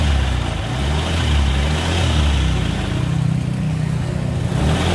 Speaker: nah seperti itu suaranya jadi suaranya itu seperti itu ngorok pokoknya ketika posisi gas ditarik tapi posisi langsam itu mesin halus